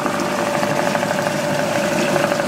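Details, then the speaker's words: Small two-stroke outboard, unused for many years, run in a water barrel after fresh two-stroke oil and fuel; one spark plug suspected split: steady buzzy run with a slightly uneven, lumpy beat that is starting to clear up; rough running. "I don't think the cover will make too much of a difference going on it. Sounds like it's starting to clear up."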